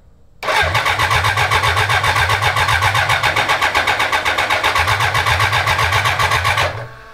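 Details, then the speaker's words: 1000cc BMW-powered mini trophy truck, first start attempt in the chassis: starter churns evenly at about four compression pulses a second for six seconds, never catching; no start while air purges from the empty fuel lines. "Now I do realize that the fuel lines are empty. Yeah, and it's gonna take a little bit to purge it, all the air"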